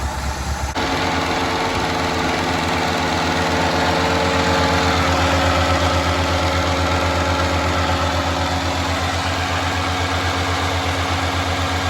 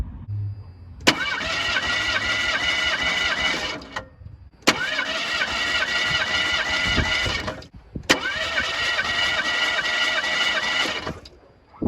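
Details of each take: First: 1985 Ford Escort wagon, 1.6 L two-barrel carbureted inline-4, before warm-up: steady low idle pulsing slightly unevenly with a constant airy hiss; several vacuum leaks, idle picks up when one is covered by a finger; rough idle from vacuum leaks. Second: 1985 Ford Escort wagon, 1.6 L two-barrel carbureted inline-4, compression test: three even, steady cranking bursts of about three seconds each; compression is consistent across all four cylinders.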